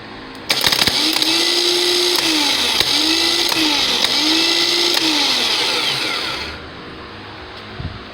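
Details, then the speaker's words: Starter bench-tested taped down; loud high whir spinning freely in three even bursts, clean steady hum with no grinding, normal starter free run. "and unfortunately won't be able to see the bendix or the charge drive kick out but you'll be able to hear it"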